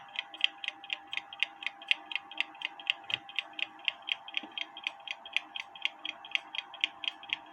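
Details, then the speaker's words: Kienzle carriage clock (made 1898–1923), movement not disassembled, hairspring set in beat: crisp, even ticks about twice a second with matched tick-tock spacing; clock running in beat after repair, previously stopped. "but anyway that sounds good it looks good it if it continues to run overnight I'm gonna put it back in the case"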